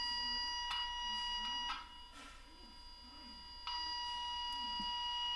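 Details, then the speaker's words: Zenith 5D810Y tube radio restoration, checking capacitor outside foil with inductive amplifier on 1 kHz signal: tone loud with ground lead off, quiet when reconnected; identifies which capacitor side carries the outside foil. "hook up the ground lead i in the audio lead it's loud re-hook up my ground lead and it got quiet again"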